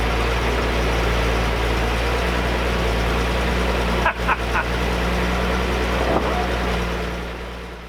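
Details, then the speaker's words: 1978 Datsun 280Z, sat about 20 years, running after a battery charge: a steady, even low idle with a regular beat and no knocks or misses. Sounds normal, though the owner suspects many vacuum leaks. "only needing a charged battery to get this thing going was the best case scenario and it sounds pretty good I mean maybe it's got kind of a track 3 vibe to it"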